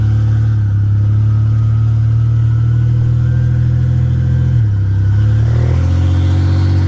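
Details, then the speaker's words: 1985 Nissan 300ZX Turbo (Z31) driving after new plugs, wires and a repaired torn intake hose boost leak: deep, steady exhaust drone climbing smoothly with revs, no stutter or misfire; now builds boost. "i'd say definitely found out the problem was definitely that boost leak or those spark plugs just couldn't handle any boost but that boost leak was bad"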